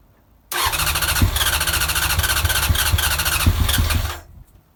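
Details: Honda CBR900 Fireblade, off the road over ten years, first start after carb work (T-piece rubbers, balance screws): catches at once and burbles evenly for about four seconds before cutting off; clean start, bit smoky.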